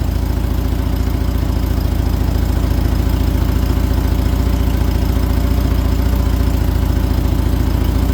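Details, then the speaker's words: 1978 VW Super Beetle with L-Jet fuel injection during timing and mixture tuning: steady idle with sharp, even exhaust barking about 3.5 per second; thought lean, persists after richening one turn, possibly the purge valve. "So, right now you hear that barking in the exhaust. We may be a little bit mean."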